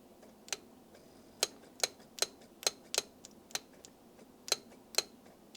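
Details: Citroen XM 3.0 24V V6 with idle running issues, idle air control valve cleaned and tested off the engine: light, sharp ticks at an uneven pace, roughly two a second, with no sticking or hesitation; the valve steps freely.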